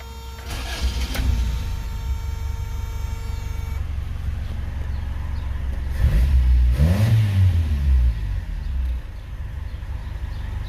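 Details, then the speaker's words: 1988 Toyota Corolla FX automatic with new $100 aftermarket Amazon carburetor, driven three months: cranks, catches and settles, brief smooth rev then steady low even idle; runs cleanly and responsive. "but yeah, I mean, for $100, I could not be happier, and it is 100% responsive. It works 100% as it should."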